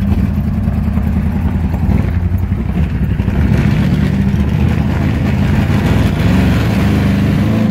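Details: 1997 GMC 5.7L V8 that runs great until it warms up, despite a new distributor, plugs, cam sensor, fuel pressure regulator, intake and MAF: loud, lumpy, stumbling idle; misfire, cause unknown.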